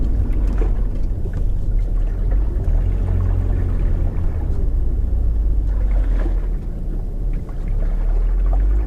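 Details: BMW Z4 parked outdoors after heavy rain, microphone held near suspected spot while braking to a stop: deep swishing and gurgling of trapped water; water suspected inside a frame rail, to be drilled out.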